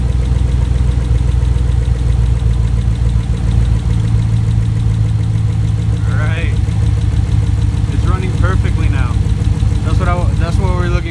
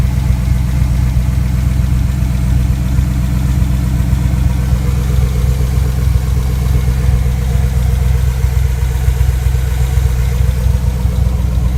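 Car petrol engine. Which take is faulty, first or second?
second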